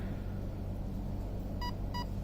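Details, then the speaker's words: Arc 1 ESC in programming mode: three evenly spaced short beeps over a low rumble mark the third setup layer (driving mode, e.g. touring to crawler); normal beep code. "Okay, now wait for first layer, second layer, 3 beeps."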